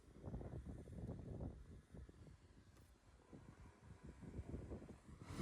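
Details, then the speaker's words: Abandoned Allis-Chalmers D21 tractor, 1,427 hours, after batteries swapped: slow, even starter chugging with no catch or fire; crank no start, owner suspects it is seized and plans to pull the injectors and soak the pistons. "sounds like it wants to start I think I'm going to have to go back and do this the Long Way"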